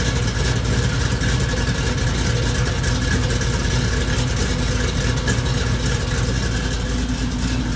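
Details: Supercharged Oldsmobile Cutlass V8 just finished after cam swap, re-gasket and new seals: loud, steady, deep idle with an even beat and no knocks or ticks; sounds healthy and settled.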